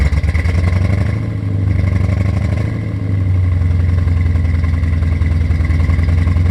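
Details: C4 Corvette V8 on its first start in 12+ years, with a new Bosch OE fuel pump. Low idle with an uneven, lumpy beat that dips and recovers. The owner suspects a one-cylinder misfire and possibly an exhaust leak; not yet diagnosed.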